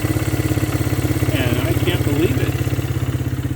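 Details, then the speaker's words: 2001 Honda XR100R after cam chain adjuster adjustment: quick, even single-cylinder putter at idle, about a dozen beats a second, earlier cam chain noise gone; idles cleanly. "so here it is running nice idle just perfect had a little bit of a cam chain noise and then i adjusted it right here"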